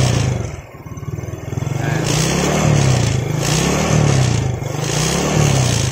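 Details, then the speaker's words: Yamaha Jupiter Z carbureted motorcycle whose automatic fuel tap leaks, sending petrol through the vacuum line straight into the manifold, causing black plug and heavy fuel use; exhaust beat sags and stumbles unevenly. Misfire. "bensin yang masuk sini ya tuh jadi Bensinnya itu masuk ke selang vakum ini ini yang menyebabkan motor Jupiter set ini bbet yabet terus busi hitam boros banget bensinnya"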